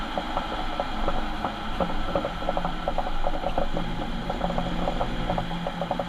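Rapid irregular clicking and ratcheting over a low drivetrain drone, steady throughout; points to a worn rear differential.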